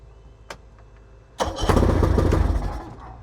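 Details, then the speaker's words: Boat engine started with the battery charged to 52%: quiet handling, then it catches at once and settles into a steady, even run with no misfire, a normal start; the automatic choke still doesn't work. "I think we did it. I think it was really the gas tank, but I don't like the idea that the choke don't work."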